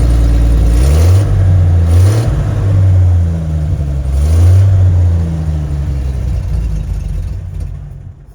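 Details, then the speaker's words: Toyota FJ40 with 77,000 miles, cold engine after the carburetor rebuild: starts at once after a couple of pedal pumps, takes quick throttle blips, then settles; fault was a cracked vacuum port and a bend that kept a throttle blade from opening fully. "I think I flooded it this morning when I tried it. So it starts right away now."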